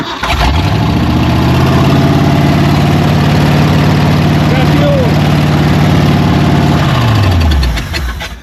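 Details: Old Ford truck, fuel line replaced with rubber line: the starter churns briefly, then the engine catches and runs steadily for several seconds before shutting down. Starts normally.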